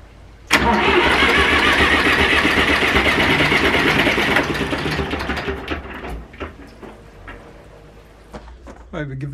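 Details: Zetor 4911 tractor diesel, stored in a dry shed since last run 3 Oct 2012 (engine renovated just before storage), with a loose core plug at the back of the head: sudden hard start, few seconds of loud rough clatter fading away; first start after long storage.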